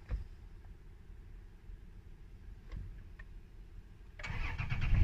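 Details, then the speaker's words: 2009 Toyota Land Cruiser that wouldn't start with the security light flashing: once the security light clears, the engine catches cleanly and rises to a firm, even run; normal start. "Ayun, umanda na yung sasakyan."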